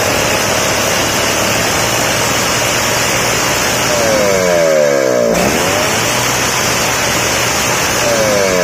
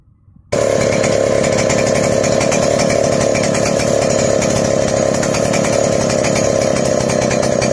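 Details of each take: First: Two-stroke engine after carburetor idle and mixture needle adjustment for a crisp, dry sound: revs up and settles cleanly without bogging or sputtering, running properly. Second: Chainsaw before carburetor adjustment: wet, burbling four-stroking note instead of a crisp buzz; rich mixture, too much fuel supplied, fixed by turning the fuel screw back.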